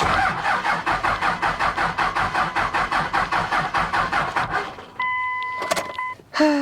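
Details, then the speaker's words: 2000 Dodge Ram 2500 5.9 Cummins, 5-speed, after sitting three years: slow, steady clicking about 2.5 per second with key held, engine never cranks; owner suspects the battery needs a charge. "Dang it. I hear it clicking. I don't know if you guys can, but I do. Yeah, it's gonna need a charge before it decides to crank over."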